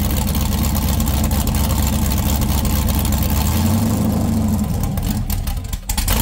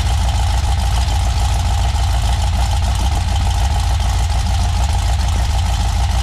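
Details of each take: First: 6.0L LS V8 with stripped 2000 Silverado harness, after straightening a dipstick the crankshaft had been hitting: smooth even rumble picking up cleanly when revved and settling back with no ticks or knocks; engine healthy. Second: 6.0L LS V8 with stripped 2000 Silverado harness, first start: fast light ticking knocks over the rough run, keeping pace with the crank; dipstick end caught the windage tray and was struck by the crankshaft, fixed by straightening it.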